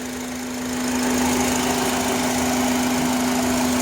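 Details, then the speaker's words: 2005 Honda Accord 4-cylinder at idle: a steady humming whistle, louder at the air filter box and around the throttle body. IAC and PCV valves have already been replaced. The sound drops when a hose is removed; the owner suspects a vacuum, throttle body or intake manifold issue, unconfirmed. "in fact you stand right here you can hear it louder is like like a whistle usually when I remove this piece from the holes the Sun the sound stops"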